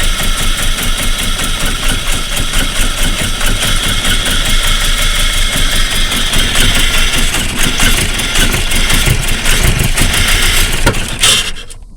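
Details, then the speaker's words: Volvo 480 2.0 after a timing belt replacement and valve adjustment; long, labored, uneven cranking with ragged chuffing that never catches, so it won't start; the owner suspects wrong timing. "So yeah, that didn't really work. After consulting my Volvo group and other people, the only logical explanation would be that the timing is wrong."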